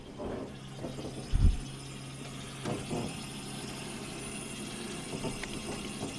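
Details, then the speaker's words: Deatschwerks electric fuel pump pressure test (25–75 psi, 58 psi base), 12 V, 8 A; steady low hum with faint fluid rush as air works out of lines, no leaks; pump noisy without affecting pressure, later replaced under warranty. "Sounds like air's in the system, working its way out."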